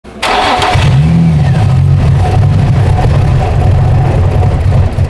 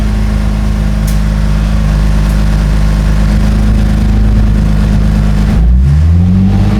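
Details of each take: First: 2004 Infiniti G35x with a used ECM fitted for throttle-control codes P1122/P1126 and keys reprogrammed. It starts but won't take throttle, giving a lumpy idle that surges and sags. A debris-contaminated MAF sensor is suspected. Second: 2004 Infiniti G35x with a used ECM, keys reprogrammed, after MAF trouble: steady, even warm idle at 750 rpm with no misses or surging, then a smooth change in engine note. Normal idle, no idle relearn done.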